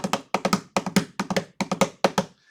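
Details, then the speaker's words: Mechanical watch movement overbanking, which makes the watch run fast: ticking breaks into triple-click bursts about twice a second, a galloping beat like a horse, audible without tools. "like a a horse in a Gallop"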